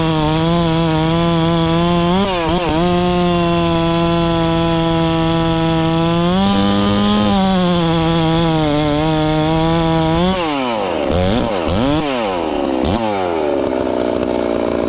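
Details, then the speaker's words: Ported, newly tuned Farmertec MS660 two-stroke chainsaw with stock out-of-box chain cutting cookies: high, steady full-rev scream barely sags through the cut before clearing, no bogging; normal cutting under load. "i tell a little more about how fast the saw is but she's tearing through hickory pretty damn fast uh when the big pine logs just not slowing it down at all"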